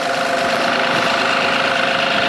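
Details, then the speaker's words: 2008 Honda Odyssey first start after replacing the alternator, VVT gasket and valve cover gasket; the alternator charges at 14.5 V despite a bad battery. A smooth, even idle with a steady hum and no knocks or misses; power steering noise is expected because the reservoir is empty. "so fire it up now you're going to hear some power steering noise because that thing is band empty so make sure your alternator is alternating which it is you have 14 and a half volts it's really good even though the battery is bad"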